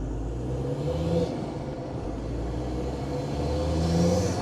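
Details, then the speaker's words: Land Rover Defender Td5 110 diesel with CR VNT race spec turbo, under load on road test: faint rising turbo whistle at low revs, boost now coming in lower than before tuning. "can hear the turbo working lower down in the Rev range as well actually couldn't hear that before it's always a good thing"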